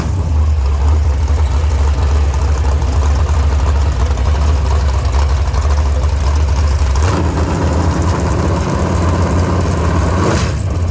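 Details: V8 idling loud and deep with an uneven, stumbling lope and occasional blips after guide plates were corrected: misfire from a broken camshaft.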